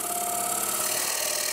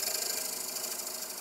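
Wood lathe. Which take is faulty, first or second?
second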